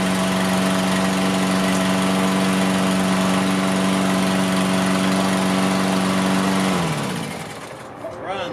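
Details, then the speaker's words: Toro Recycler AWD mower, Briggs & Stratton engine, first start after carb cleaning: small single chugging at a steady low idle about four beats a second, then shutting off; owner feels factory idle is too low, raises it via bendable tab. "I always feel like these mowers come with an idle that's too low, so I'm going to turn that up."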